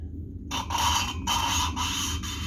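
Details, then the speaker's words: Cylinder head of a 1776 cc VW-type (Cox) engine, valve lapping by hand: gritty rasping back-and-forth strokes that grab and judder as coarse paste cuts a rough seat, sound changing as abrasion proceeds. "On va entendre le bruit, ça accroche, on l'entend et on le sent, ça fait des à-coups."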